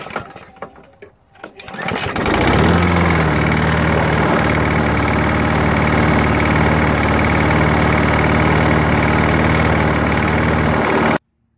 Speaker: just check out the slop in the rod end at the crank journal and now you can see why the motors making a clanking noise while running